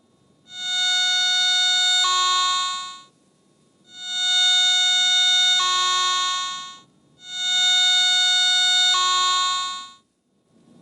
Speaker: The ATX operates with a continuous audio that responds proportionately to a target's signal strength. Large or strong signals sound loud.